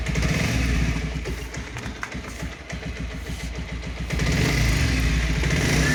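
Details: Pulsar 125 BS6 idling: light, fairly even tick about four per second over the single-cylinder thump; top-end ticking noise, cause unconfirmed.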